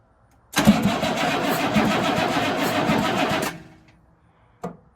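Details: 1983 Chevy K20 squarebody with 6.2 diesel, long parked: steady fast starter cranking for about three seconds with no firing, then stops; turns over but won't start, fuel delivery/injection pump being checked.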